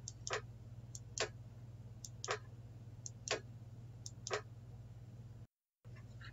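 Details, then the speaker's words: MAC Valves MI/O-67 fieldbus valve manifold on EtherCAT, communicating with no errors: crisp clicks about once a second as valves are toggled, over a steady low hum; solenoid valves switching normally. "So now I can toggle this bit, turn on a valve, hear that clicking."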